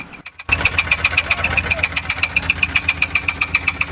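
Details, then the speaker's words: Engine at idle with heavy, evenly spaced knocks about four a second; teardown confirmed the No. 4 connecting rod was bent. "इस engine में आप देख रहे हो heavy knocking sound आ रहा है। यह प्रॉब्लम मेनली कनेक्टिंग रोड की वजह से होती है।"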